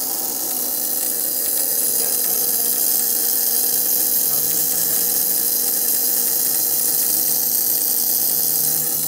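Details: ICP gas pack HVAC unit, no-heat call, power just restored: loud continuous high crackling sizzle of electrical arcing on the old control board; board needs replacing.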